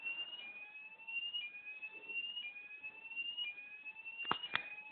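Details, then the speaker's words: Gent fire alarm system test with smoke detector: shrill high tone sweeping up about once a second in a quiet room; sounder working normally. "alarm one points so got Thea again appear is making a very very high pitch noise so I'll just silence it you can hear the P again very high pitched"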